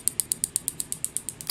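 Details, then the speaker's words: USB killer (cheaper white version) plugged into a tablet's micro USB port: crisp evenly spaced ticks about eight per second as it repeatedly dumps its capacitor, red LED flashing; tablet apparently protected. "but it's definitely firing i think there's probably some sort of protection in there that's keeping it"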